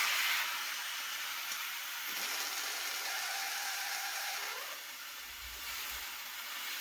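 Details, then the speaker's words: Home water lines refilled after a frozen copper pipe repair with SharkBite fittings, tap open at the highest point in the house: steady hiss of rushing air easing off and sputtering as trapped air clears; air purging from lines. "This is the highest point in the house too, so get the air out."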